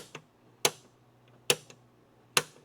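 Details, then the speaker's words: 1969 Dodge Coronet 500 sedan (318ci, 904 automatic), door closing: three crisp, clean latch clicks with faint lighter ticks as the latch hits the striker, normal healthy engagement. "Just the sound of the latch going. That's all you want to hear. That that latching system hitting the striker."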